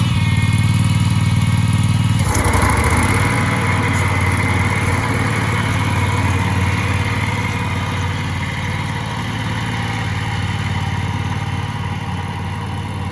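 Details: Husqvarna commercial zero-turn mower that sat 4 years in storage, after cleanup: small petrol engine holds a steady, even beat after a throttle change and settles into a smooth healthy idle.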